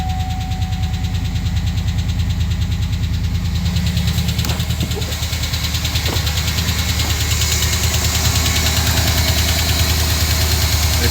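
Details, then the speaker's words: 2009 GMC Sierra 5.3 V8 first start after replacing all 16 AFM/DOD lifters (collapsed lifter), no coolant yet; fast even ticking over rough idle for a second while oil pressure builds, then settles; lifter tick at first start, gone once warmed. "it's gonna tick for a second while it gets oil pressure"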